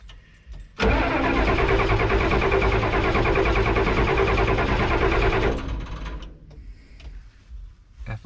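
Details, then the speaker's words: Ford F-Super Duty 7.3 IDI diesel, old junkyard truck: steady starter cranking about three turns a second for several seconds, never catches after briefly running; owner suspects lost fuel prime or out of diesel, plans ether down intake. "i was shocked when it started and i'm trying to figure out why it started and now why it doesn't want to run it must have lost its prime or we ran it at a diesel"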